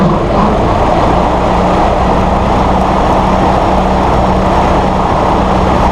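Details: Massey Ferguson 1739E compact tractor driving a RhinoAG TW25 3-point rotary mower via PTO after hitch setup: steady drone, constant low cutter hum, no knocking or vibration; normal running.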